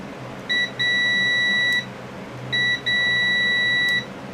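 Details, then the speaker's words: Sears Suburban SS16 garden tractor (16 hp Onan twin) ignition key switch continuity test in start position: tester beeps in two bursts, a short chirp then a one-second tone, as the start contacts drop out intermittently; improving as worked. "Okay, now if I put this one on start, listen, I don't know if you can watch and listen, but whenever I do this, sometimes it's intermittent. Like I say, this switch is getting better."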